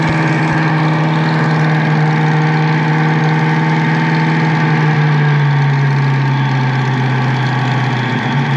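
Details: Lopey cammed Foxbody V8 idling after refitting the intake pipe; steady, even idle with a deep, consistent burble, no stumbles or hunting; idling perfect.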